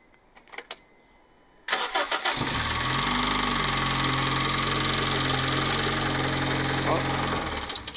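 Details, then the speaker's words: Turbocharged Honda Civic R18 engine that blew, valve cover off with plugs and coils in: cranks, catches, settles into steady idle with faint light tapping underneath; slight knock heard while timing chain throws oil. "Okay, so you heard the knock a little bit, and the timing chain is kicking up a lot of the oil."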